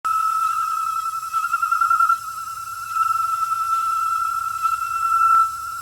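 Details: Gas meter giving a steady high whistle near 1.3 kHz, caused by an undersized supply pipe; fitting a thicker pipe stopped the noise.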